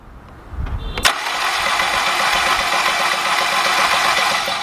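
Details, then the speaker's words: Cranking a 2.0 VW/Audi engine during a compression test on cylinder 4: fast, even spin with no compression pulses. Cylinder 4 reads nothing; only one cylinder shows halfway decent compression, so the rear timing chain to the intake cam is suspected. "All right, guys, we got an issue here. We got one cylinder that's showing halfway decent compression, the other 3 done."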